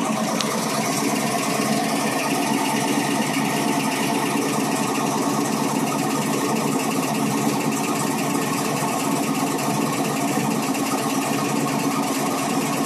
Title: Cold start g8 ticking noise